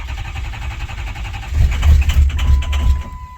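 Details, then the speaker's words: 2006 Ford F350 6.0 Powerstroke diesel after sitting five to six years, new standpipes and dummy plugs: steady starter chugging about three beats a second, never catches despite good readings; long no-start crank. "I got a little bit of a long crank but I mean my numbers are good though"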